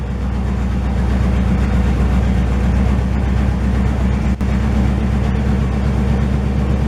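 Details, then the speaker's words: 1968 GMC V8 truck first start in 20 years: deep, loud, even rumble at a steady idle with no knocks or misses, running healthy as it warms up with only minor leaking. "Here comes the sound. Sounds good."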